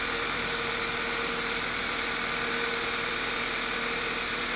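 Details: 2007/2009 VW Eos 2.0L TSI (engine code CCT), after replacing a split rear main seal that caused a huge vacuum leak and lean misfires, idles steadily with an even hum and faint whine near 500 Hz; normal idle.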